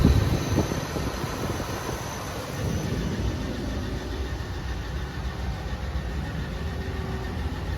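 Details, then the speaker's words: Used LKQ junkyard 5.7 Hemi V8 freshly installed in a Dodge Ram 1500, first start after reassembly and fluids: quiet, smooth, even idle with low rumble, no tapping, no smoke; healthy engine. "she sounds pretty healthy so even you go on there and turn the key all it sounds good no tapping no"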